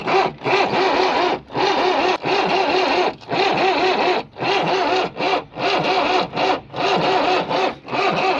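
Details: Swaraj Mazda Super XM direct-injection diesel truck, cold start after sitting 4 years. Repeated one-second starter bursts with short pauses, and the engine never catches; hard starting after long storage.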